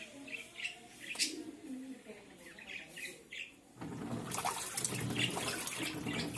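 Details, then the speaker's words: Samsung 18 lb top-load washer in the wash cycle after clutch calibration and transmission gear maintenance: water swishes steadily with no grinding or knocking; the earlier washing noise is fixed. "entonces así queda la lavadora en el ciclo de lavado"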